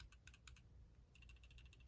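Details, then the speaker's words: Glock 23 Gen 3 pistol, cleared, swayed with the finger taken off the trigger safety: faint, uneven light clicks then a quicker run of ticks as the noise returns; just the untensioned trigger safety shifting, perfectly normal. "and the noise comes back. All right. So that was the second thing that I thought was wrong with my, with my pistol."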